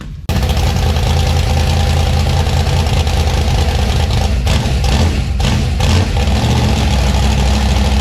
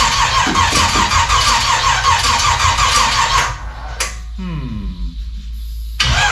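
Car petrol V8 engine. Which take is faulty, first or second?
second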